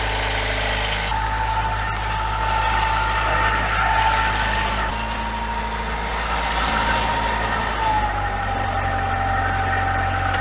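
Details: Formosa 41 sailboat diesel idling steady and even with a constant low rumble, no knocks or misses; oil pressure and water temperature good, though the alternator wasn't showing charge at idle and the transmission had ground earlier.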